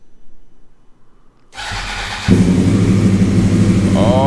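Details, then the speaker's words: Wrecked 2014 Yamaha R1 crossplane engine (deer crash), in neutral, first start after fuel pump prime: starter spins under a second, engine catches cleanly into steady, lumpy idle, flames from exhaust; normal engine start. "this bike sounds absolutely amazing this thing is a monster"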